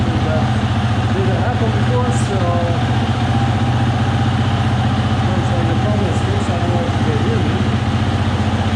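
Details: 2020 Husqvarna FE 350 with 40 hours, after replacing the in-tank fuel filter and screen for a bog on throttle opening: steady, even low idle thump with no stumble, surge or misfire; normal.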